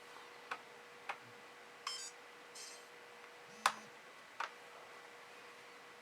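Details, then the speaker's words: PowerBook 1400 floppy drive reading the inserted install disk while installing Mac OS 7.6; quiet irregular light ticks and brief whirring seeks over faint steady hum; normal floppy drive seeking. "And as you can hear, the floppy drive, it's doing its thing."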